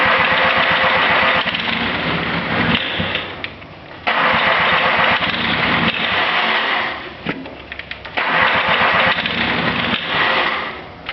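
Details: Cub Cadet 1572 tractor with Kubota diesel: three long bursts of fast, chugging cranking with pauses between, never catching; hard starting.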